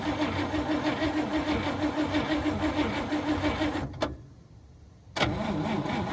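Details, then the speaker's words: 1954 Cadillac V8, unused about 3 years, fresh gas poured in, borrowed battery: slow even cranking about three turns a second with pauses, fired once but won't start; possibly flooded, suspected no spark from worn plug wires. "Yeah, I'm probably not getting any spark. Some of those wires are shot. Not going to go."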